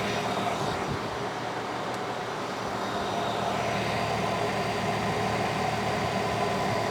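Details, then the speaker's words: 2013 Nissan Altima that overheated at stoplights but cooled while driving, fans previously not running: engine still warm, AC on recycle, both cooling fans now blowing strong with steady even air rush over quiet idle; normal cooling fan operation. "Now, last time the fans, one fan or the fans weren't on at all, and they're blowing strong now. I don't know if you can see it or not, but I'm sure you can hear them."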